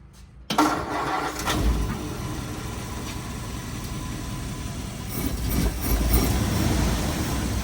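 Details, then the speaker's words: 1950 Ford Police Special (Shoebox), first start after nearly 50 years off the road, cold: starter grinds briefly, engine catches into a rough uneven idle that slowly steadies; reluctant cold start, cause unclear. "For some reason, this thing just does not want to cold start at all. Probably cuz it's 75 years"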